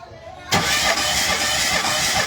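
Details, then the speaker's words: Mitsubishi Mirage petrol that won't start: it cranks evenly but never catches despite spark and a smell of fuel; the compression test shows cylinders two and three low, with one reading falling from 80 to 75. "Two and 3 ang bagsak mo ngayon ire-recover natin yan. Yang two and 3 mo na yan."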